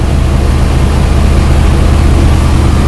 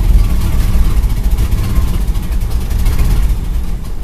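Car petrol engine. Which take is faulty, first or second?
second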